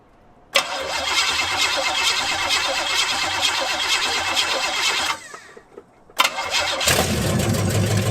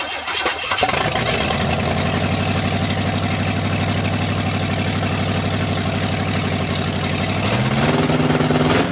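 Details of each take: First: Cadillac with a newly fitted used carb (replacing a flooding Holley) and new ignition, timing unchecked, started on a jump pack: catches quickly, runs fairly evenly, dips briefly, then settles. Normal idle. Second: Cadillac V8 with new carburetor and ignition, cold day: fires and settles into loud fast steady idle, pitch steps up near end; choke not working, stuck on, idle running high.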